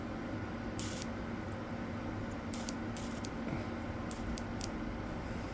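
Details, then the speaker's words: Polaris Outlaw 70 ATV fuel injector being cleaned, pulsed from battery leads: crisp clicks each with short clean hiss of spray; good spray pattern and pressure after cleaning. "Yeah, we're getting some good spray pressure there now."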